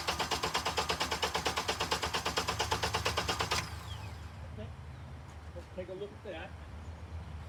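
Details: Honda engine on scope, known-good cranking with crank sensor and both cam sensors working: even steady cranking about three beats a second for three and a half seconds, then stops; normal crank.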